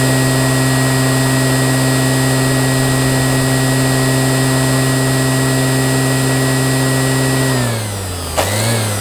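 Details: Qualcast electric motor after rebuild: steady, clean hum at one even pitch, then smooth wind-down at switch-off; healthy, smooth running.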